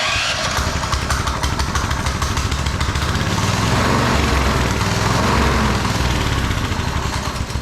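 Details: TrailMaster Mini XRX go-kart after freeing the rusted, sticky clutch and chains, started off a charger: small single-cylinder putters loud and chuffy but steady at idle, holding speed without stumbling. Normal idle.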